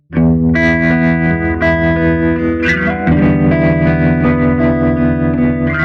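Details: Gibson GA-40T Les Paul tube amp, 6V6 power tubes, after repair of dead channel one, tremolo, noise and motorboating: clean warm guitar with a steady pulsing tremolo, no hum or motorboating. Healthy amp.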